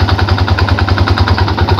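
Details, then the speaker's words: Yamaha Jupiter Z at idle, heard from the right side: steady dull "dak dak" knocking about six to seven per second that disappears at quarter or half throttle and returns when released; possibly a worn starter one-way clutch. "suaranya dok kayak gitu coba digas ya mau saya gas dulu Nah jadi di sini saat digas setengah atau seperempat seperempat aja ini udah hilang suara dok atau dakdak ini udah hilang ya"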